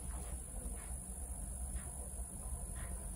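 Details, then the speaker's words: Braun hair straightener, over 10 years old, running with its ionic button on: faint steady high-pitched whine over a soft low buzz that cuts in and out, normal ionic generator buzz. "بقى بصراحة الزنة دي اللي هي الصوت ده كده، ده ساعات يشتغل وساعات يفصل."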